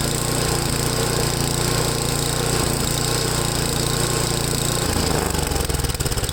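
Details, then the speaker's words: Ariens 8HP Tecumseh engine with new replacement carburetor, warmed up after choke start: single-cylinder engine hunting unevenly at idle, speed rising and sagging; idle surging, owner unsure if low idle mixture or high-speed setting is the cause. "the log fixture screw and she's got a surge in it"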